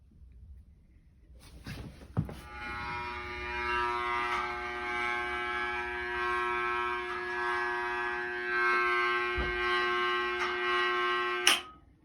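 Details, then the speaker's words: Dunkirk gas boiler, about 20 years old, serviced six months earlier: steady, fixed mid-high electrical buzz with a faint hiss behind it; the boiler's transformer is humming loudly. "so the transformer is buzzing and then i hear your point okay so that thing is uh that thing is buzzing"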